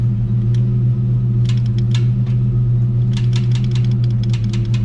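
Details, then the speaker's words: Project 4TO8 Mustang with new battery and new oxygen sensors, defrost just turned off: steady deep hum with even firing and faint light clicks, no knock or miss; sounds great. "But, hey guys, she sounds great."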